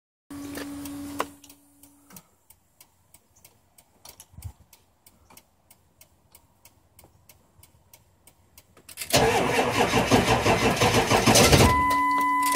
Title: 7.3 hard start up